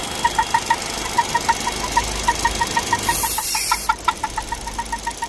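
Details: Vauxhall Meriva 1.4: light, somewhat uneven ticks about once per second, heard only when the engine is warmed up; cause unexplained.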